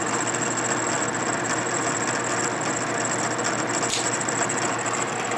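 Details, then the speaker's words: Boring bar spinning inside a Harley knucklehead cylinder, 84ci stroker rebuild: steady high whine with light even chatter and no cutting bite; cutter has not yet reached the bore wall, then just starts touching. "not hitting yet there just started hitting"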